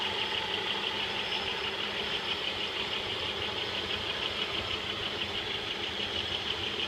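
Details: 1995 Pontiac Bonneville 3.8 L 3800 Series II V6, 115,000 miles, good compression and vacuum, power loss noted: idle with steady high ticking chatter about three beats a second, unchanged with serpentine belt removed; source undetermined.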